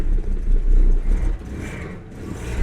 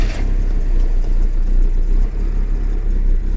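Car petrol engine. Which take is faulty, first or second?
first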